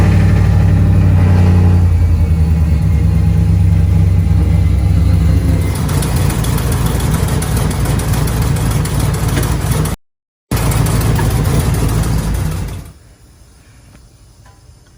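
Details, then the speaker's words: SS, first start after reinstalling the intake with a new gasket: loud, lumpy engine with an uneven stumbling beat and a faint whine; bad misfire, no leaks found, owner suspects a bad part. "so as y'all can hear it it sounds like it's misfiring really bad and it has like a whining sound"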